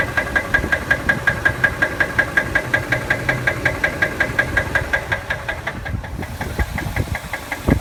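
Sharp, regular metallic knocks, just under two per second, over a smooth idle, fading as the engine note drops: classic rod knock.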